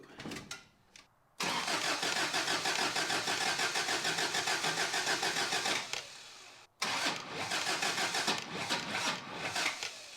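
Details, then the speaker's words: Toyota pickup after head gasket job, first start on 12.5 V battery: cranks, catches, runs ragged and stumbling, nearly dies, better with distributor turned the other way; ignition timing off, distributor one tooth out. "I don't like that sound. Let's see. I don't like those noises. Distributor all the way the other way. Well, that was better. We're gonna need to spin the distributor one tooth."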